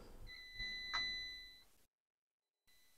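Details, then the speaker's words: HP EliteBook 840 G5 laptop that won't turn on, with the 12–13 V rail missing: a steady high multimeter continuity beep while probing the N-channel MOSFETs, indicating a shorted MOSFET. "So now I will check one by one all the MOSFET. It's okay. It's beeping."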